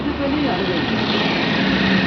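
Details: Renault Kwid after repair of high engine rpm, DTC 011516, with the coolant temperature sensor problem fixed. The check light may still come on because another sensor may be faulty. The engine holds a steady, even idle with no hunting or surging.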